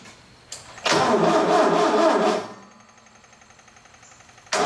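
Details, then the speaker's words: Bobcat 632 engine after rebuild with new piston and rings: about a second and a half of starter cranking that never catches, then another try; no start because the distributor cap was 180 degrees off. "we tried to start a wooden start seemed like a timing problem from the way it sounded and um and it was the distributor cap was 180 degrees off"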